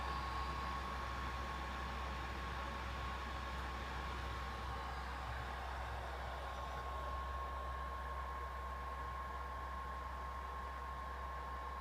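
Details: PS4 console sitting idle on a game title screen: steady loud whooshing roar with a thin constant tone as the fans rev up hard; loud fan noise at idle, cause not confirmed.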